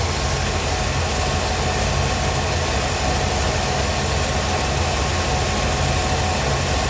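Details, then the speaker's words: 1957 Chevrolet Bel Air carbureted V8 after carburetor replacement: steady, smooth, even idle with no stumbles. It idles and picks up throttle well, so float level is judged fine. Normal idle. "right now I think we're doing really good with the weight especially the way it's idling and the way it's picking the throttle up I don't think there's really a a problem with the fuel bolt uh float level"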